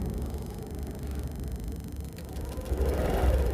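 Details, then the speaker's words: Honda Grazia BS6 scooter that wouldn't start after sitting overnight, now repaired: catches and settles into steady low idle rumble, no misfire or knocking; malfunction light went off, starts normally. "हमें देखें car start यह हो चुका है। Car शुरू करना जाकर देखो।"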